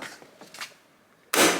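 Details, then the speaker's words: Door swinging: one sharp loud pop at the detent, the check strap releasing normally by design for this car, unlike the clinking Chrysler Sebring strap. "and it's supposed to it happens right there and that's what's supposed to happen i have to warn people every time i take them for a ride in this there's going to be a loud popping noise just don't worry about it"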